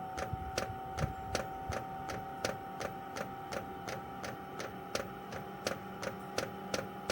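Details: Chinese 12 V diesel heater running on kerosene, outside a caravan, priming via held panel buttons: steady sharp ticks about three per second over a faint hum; owner thinks it's the fuel pump; normal priming.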